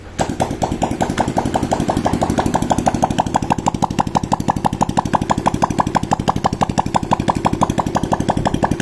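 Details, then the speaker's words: Honda Supra X 125 / Karisma after new piston rings and valve stem seals to cure white exhaust smoke, run without the muffler: crisp, even single-cylinder popping with no misses or knocks and no more smoke. "Oke, ini udah enggak keluar asapnya ya. Berarti menandakan ini bagian piston sama kapnya udah aman."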